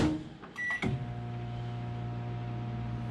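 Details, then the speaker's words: Microwave in a 50 A RV powered by an AMPINVT 6000 W 120/240 V pure sine inverter on 48 V lithium batteries: a clean, steady low hum with no buzzing, sounding normal and smooth. Normal operation. "if the pure sine wave inverter is not pure sine enough you will hear this in the microwave because it won't sound smooth"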